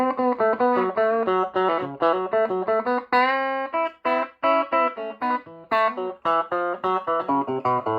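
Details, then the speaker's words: Strauss SRT-15 guitar amp after repair with new tubes and bias checked, previously crackling and ticking from a faulty tube: clean, clear guitar notes with no crackle, pops or hum; normal output. "but anyway he's the amp it's all done you heard it being played I seem to get a lot of requests for people want to hear the app after it's fixed"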